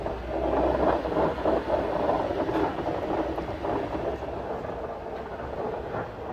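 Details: 2013 Ford Fusion Hybrid after replacing shifter cable bushing: rough uneven mid-range grinding rasp with irregular pulses throughout, suspected transmission noise, not confirmed.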